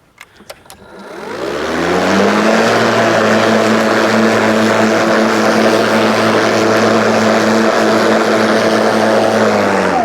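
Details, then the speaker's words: Ryobi 36V brushless mower with 46cm deck, running on two fully charged batteries in power mode through thick kikuyu grass. The motor spins up in about two seconds to a steady, even whine and holds speed without sagging, running strong. "yeah definitely so you got a second battery in there it does give you that extra oomph you know this is not this is like not huge struggle"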